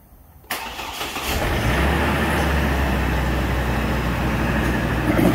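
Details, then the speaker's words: 2004 Chevy Colorado 3.5 L after fuel pump replacement: brief crank, catches cleanly, settles to smooth steady low idle once air purges; good fuel pressure on gauge. Normal start. "all right there we go some vehicles take a while to purge out any air that's in the system"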